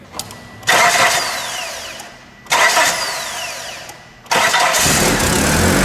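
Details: 1996 Mitsubishi Eclipse, no-start: three labored cranking bursts dragging without catching; voltage-drop test shows about 1.8–3 V lost in the battery-to-starter cable, caused by cheap battery terminals and damaged cables.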